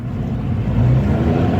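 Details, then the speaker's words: Car test drive in second gear: engine drones hard and steady at high revs with no matching rise in pace, car not pulling; engine rpm far exceeds road speed, clutch slipping under load. "आप एहसास कर रहे होगे engine का RPM बहुत ज्यादा है और जो गाड़ी का स्पीड है वो बहुत कम है।"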